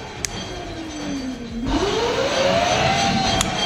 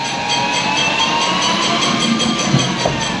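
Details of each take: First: Chinese 3000 W electric motor and controller freshly wired into a Chinese Jeep UTV electric conversion, gas pedal pressed with brakes audible; speed switch cycled low, middle, top: clean whine drops then climbs smoothly to higher steady pitch, no grinding, motor runs normally. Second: Chinese 3000 W electric motor and controller wired into a UTV jeep, jacked up on stands with wheels spinning free under throttle: steady hiss and light scraping over smooth motor whine; dragging brakes, said to be fine, drive otherwise sounds fine.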